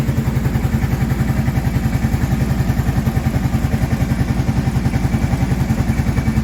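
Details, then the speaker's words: 2002 or 2003 Kawasaki Prairie 650 ATV after rebuild, warming up after cold start: steady even idle thump, without the rattling, clicking heard after reassembly; normal idle. "Hopefully I don't hear that rattling, clicking sound that I was hearing before from when I put it back together."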